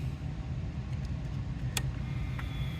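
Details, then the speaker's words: 2002 Toyota Highlander with an intermittent no-crank when cold: touching a loose chassis ground wire sets off sharp relay clicks in the fuse box over a dull rumble as the ground makes and breaks; bad ground connection. "en cuanto lo toqué tantito luego luego se escucha los ruidos ahí de los relevadores en la caja de fusibles"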